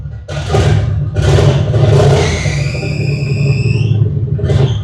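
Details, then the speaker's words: 1950 Ford with cheap EFI and a newly installed turbo: on a rev blip a thin high chirp climbs and holds over the rumble, then fades as revs drop; alternator belt noise. "Oh, nope, alternator belt."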